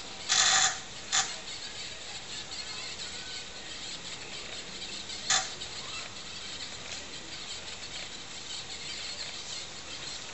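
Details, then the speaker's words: Floppy drive on Dragon computer with TRS-80 CoCo disk controller running Dragon DOS, formatting a disk: a few sharp isolated clicks over quiet hiss as the head steps during the verify pass; drive sounds healthy. "now you can hear it ticking away there we'll get our little Apple screen so now starting to verify pass on the disk"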